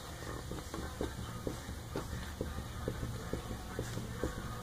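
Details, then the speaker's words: Corvette right rear tie rod end heim joint, checked for unusual tire wear: soft dull clunks about twice a second as the tire is rocked by hand at three o'clock; play felt in the joint, needs replacement. "i can feel a little bit of movement between this part and this part here so i've got to replace that"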